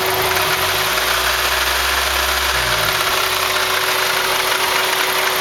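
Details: Idling engine with a light, even metallic rattle over the engine note; the owner first suspected the timing chain and guides, but it turned out to be the alternator pulley, and the rattle was gone after the fix.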